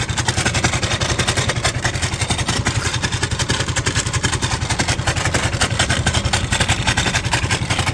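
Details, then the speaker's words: Suzuki Lets scooter at idle: loud, busy clatter in quick regular beats, suspected to come from the loose engine side cover, which is also leaking oil; engine making a bad noise. "सुनिए और यह cover से ज्यादा से ज्यादा यह cover से हो रहा होगा तो यह कवर ल के ऑयल भी निकल रहा है"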